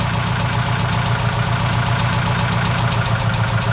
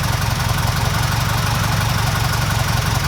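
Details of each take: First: Before-repair recording on a 1969 Ford Capri with Pinto engine: steady petrol idle with light, quick top-end ticking from worn camshaft finger followers, which are then replaced with new ones; valve train tapping from worn cam followers. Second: 1969 Ford Capri Pinto engine after new camshaft finger followers fitted, cam cover back on: steady, even, silky-smooth idle with no top-end ticking; quiet, healthy engine after repair.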